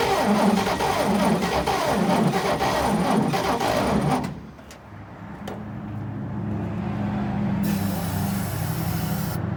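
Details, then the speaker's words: 1941 Chevrolet pickup, first start after 40 years in a junkyard, seized piston freed with transmission fluid: runs roughly and loudly about four seconds with smoke, dies and struggles weakly; gummed carburettor starving it of fuel, being rebuilt. "So after a few more tries, we just decided that the carburetor was too gummed up to be letting enough fuel in it for it really to run."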